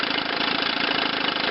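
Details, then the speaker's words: Chrysler outboard on a test wheel, run up to power: rough, slightly uneven buzz as the top cylinder misfires at high speed though it idles fine; ignition misfire, condensers under the flywheel suspected. "a lot of times they'll idle find but they will have that misfire at a high"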